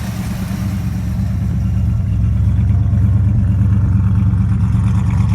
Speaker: Runs pretty good. At least I think so. For sitting as long as she did.